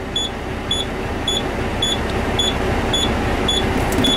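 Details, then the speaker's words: Truck during CDL pre-trip air brake check, engine revved slightly after tank bled: high beep about four times a second over idle, low air pressure warning, beeper and light going off at 80 psi while building toward 120 psi governor cut-out. "Alright, it's getting up to, when it hit 80 pounds of pressure, the beeper went off and the warning light went off."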